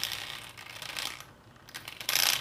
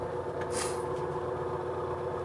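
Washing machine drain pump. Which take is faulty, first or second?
first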